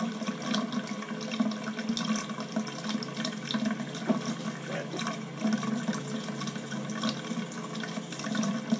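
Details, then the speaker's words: Crown boiler heating system with no heat, second-floor loop being purged through a hose into a bucket: rushing water with an uneven crackle and fizz from trapped air coming out. "let's get the area all that noise is air all crackling now"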